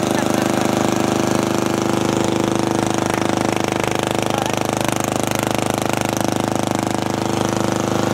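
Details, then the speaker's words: Custom riding mower, which could also serve as a go-kart, on a cold day with no muffler fitted: very loud, sharp, even popping at about three firings a second from the bare exhaust pipe. The exhaust is open with nothing mechanical wrong, and a muffler is fitted afterwards. "wow that's loud that's really loud wonder how it sounds and backfires that might hurt your ears"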